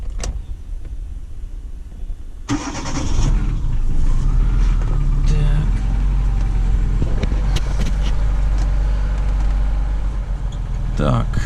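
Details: Daewoo Sens, starter and battery checked, no fault codes: quiet pause, then quick crank and a clean catch into a steady, even idle; starter working properly.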